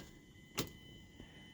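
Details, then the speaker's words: 2010 Mazda 3 with 2.4-liter engine that won't start: key turned gives one sharp click then a fainter one, engine never cranks; starter suspected, starter later replaced but car still didn't start. "All right. Clicking. That sounds like his starter."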